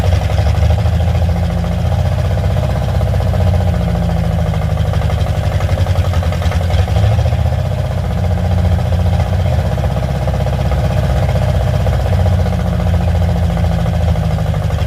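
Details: Carbureted car with only a Y-pipe exhaust: a fast idle with a lumpy, uneven pulse that wants to stall. It dies after about 2 seconds unless the idle is raised, and the choke-side idle mixture screw does nothing; owner blames the carburetor.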